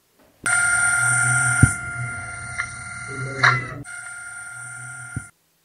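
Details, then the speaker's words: Microwave oven fan motor: steady hum with light, uneven ticking about four times a second lasting as long as the oven runs; worn nylon shaft bushing or dried grease in the fan motor. "जब इस fan motor के अंदर की जो साफ गुस्सिंग होती है जो नायलोन की वृद्धि होती है वह जब घर जाते हैं"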